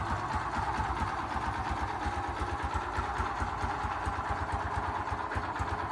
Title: Xrm 125 engine knocking sound?